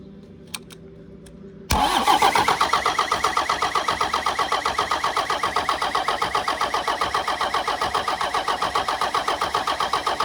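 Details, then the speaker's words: 1993 Dodge W250 with Cummins intercooled diesel, reportedly 120,000 miles: starter catches after a couple seconds and turns it over in steady chugs, about four a second, without firing; fuel not reaching one injector, turbo feels very tight. "Still not getting fuel to that one. Got fuel to this one though."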